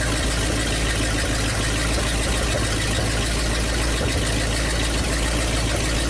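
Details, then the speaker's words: 1956 Studebaker/Packard 352 V8 in a motorhome, previously low compression, test run with downpipes: steady even low rumble at idle, no ticking or tapping, good oil pressure; normal idle. "I think this is gonna be just fine so runs really good no no no noise good old pressure"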